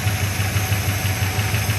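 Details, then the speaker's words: 1975 Chrysler Cordoba revived, low on fuel, motor slightly ticky, possible leak; low, steady idle with an even regular pulse and no misses. "It is running here idling. a little tricky."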